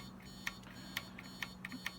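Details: TRS-80 Model I keyboard key switches tested in a jig with a meter: short, sharp continuity beeps about every half second over a low hum, each a clean chirp as the plunger closes the switch; the contacts test good.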